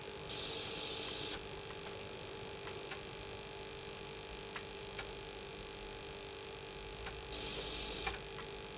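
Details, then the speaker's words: Early Atari ST (not STFM), recapped with upgraded TOS ROMs, playing games from floppy: a steady electrical buzz-hum with faint clicks over it; cause unknown, owner likens it to RF noise. "I need to sort out that buzzing. It is irritating the heck out of me that buzzing. I don't really know why it's doing that."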